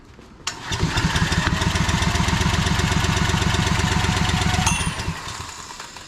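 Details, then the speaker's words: Old barn-find Generac generator, pull-start, started with ether: engine catches and chugs about four seconds, then fades and stalls once the choke is turned off; float bowl may lack fuel, carb possibly dirty. "nope turn off the choke and wants to die"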